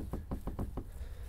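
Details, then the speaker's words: 1989 Jeep Cherokee XJ tailgate shifted out of alignment, uneven gap; pushing its corner gives five quick dull knocks, about six a second, as the loose tailgate rattles against its frame; owner unsure how to adjust it, possibly via headliner area. "I guess it does kind of rattle but uh if you push on the corner here you can kind of"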